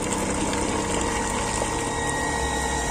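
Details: Water pump after a fix to boost weak suction and pressure, reaching about two and a half bar: steady, even motor hum with strong water rushing through, no surging or rattle; it runs smoothly with good flow.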